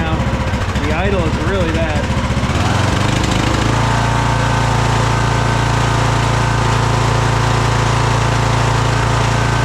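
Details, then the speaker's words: Craftsman DLT3000 lawn tractor: small engine settles into a lumpy, hunting idle with an uneven pulse, fine at full throttle; valves set, carb cleaned twice, fuel system cleaned; rough idle, owner suspects carburetor, possibly head gasket. "But listen to this idle. That's really rough."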